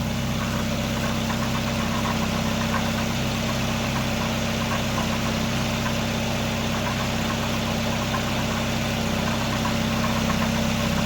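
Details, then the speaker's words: 1999 Nissan Sentra 1.6 after EGR delete and new headers, slight oil smoke near exhaust: steady even idle with low hum, no knocks or ticks; much quieter, sounds healthy. "Man, this sounds much better. Much better. Much better. I was getting tired of how loud this thing was sounding. Now it sounds better."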